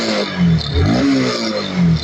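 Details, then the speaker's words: Kawasaki NS160 FI after repair: crisp, quick throttle blips that rise and fall cleanly, with no stumble or the earlier hollow, air-like misfire when revved; the throttle response is now normal and fast. "Ito wala na yan. Mabilis na pati yung response"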